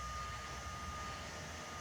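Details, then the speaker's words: Anycubic i3 Mega 3D printer, replacement quieter heat-break throat cooling fan kicking on as the hotend passes 60° while heating toward 170°: soft steady airflow hiss with a faint constant tone, no rattle or ticking; normal cooling fan operation. "It's drawing plenty of air. I can feel the air moving through the shield, so it's blowing right across the throat."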